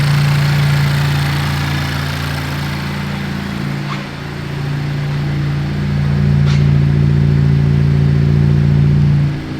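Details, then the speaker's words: 2019 Honda Civic Type R rebuild: idle after reconnecting the unplugged vacuum hose from intake manifold to valve cover; steady low hum with a brief dip and recovery, smooth and healthy; runs properly. "weird it runs properly when you plug in the hoses imagine that wow"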